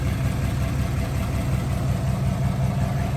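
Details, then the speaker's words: 1955 Buick Special Riviera, one owner, 264 V8, automatic, restored; low even V8 burble with steady unhurried pulse and no ticks or knocks: smooth, healthy idle. "let's take a listen to the engine. Runs really sweet, nice and smooth."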